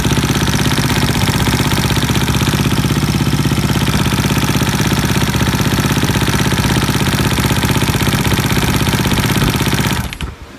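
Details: 2012 Suzuki RM-Z250 four-stroke dirt bike idles with a fast even ticking riding on the exhaust beat, then shuts off: engine ticking noise.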